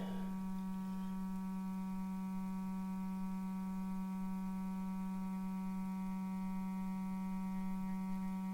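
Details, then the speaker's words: 1935 Philco 54C speaker on the bench, field coil run up to about 40 mA at roughly 117 V, playing a roughly 200 Hz test tone; clean steady low tone without buzz, rattle or breakup, reproducing properly. "let's go ahead and put some audio on it that's down about it was about 200 I believe about 200 Hertz probably can't hear that there"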